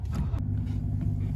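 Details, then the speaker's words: Manual JZX100 Mark II replica with a twin-disc clutch, just started and idling: a low, steady rumble with a faint rattly chatter and flutter underneath. This is normal for a twin-disc clutch. "so if you guys hear that chatter that means that this has a twin dis which is very unique I've never driven a manual car with on the street with a twin disc before"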